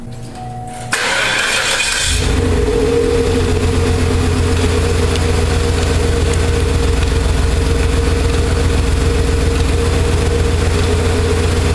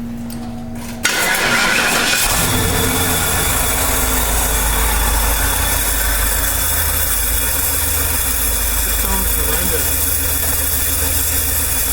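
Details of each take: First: 1995 Cadillac Eldorado Touring Coupe after A/C compressor delete (failed clutch and compressor), pulley shimmed with washers and belt refitted, test fire: quick crank, catches, settles into steady even idle with no knocks or squeals; running true. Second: 1995 Cadillac Eldorado Touring Coupe, A/C compressor at passenger front of engine bay with metal shavings, refrigerant mostly escaped: engine running with a thin whine and rough chatter from the front; failed A/C compressor and clutch.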